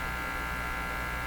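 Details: Hallicrafters S-38D receiver with CW (BFO gimmick) switched on: constant steady mid-pitched electrical buzz; owner suspects the unbonded gimmick wire, not grounded to the chassis, feeding noise into the radio, not confirmed.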